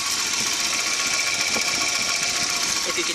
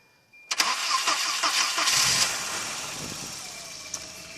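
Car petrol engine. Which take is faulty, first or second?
first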